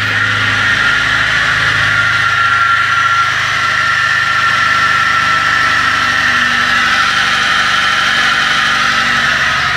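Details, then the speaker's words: 1998 Fiat Palio with Fiasa engine: very loud steady high whine over a smooth idle, not changing; belt-driven accessory, mechanic concludes it is the alternator after belt-removal test, though alternator versus water pump was in question. "Então, viu aí, pessoal? O barulho que tá fazendo é um barulho muito alto."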